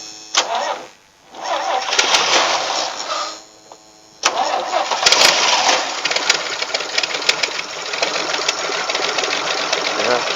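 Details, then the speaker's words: Vintage Toro golf/airport tug tractor, will-it-start on jumper pack: starter cranks, engine catches, dies, catches again and runs rough and uneven; owner suspects a bad carburettor float flooding the engine with gas. "sucking it up i think it's probably got a bad float because i think it's filling the engine full of gas"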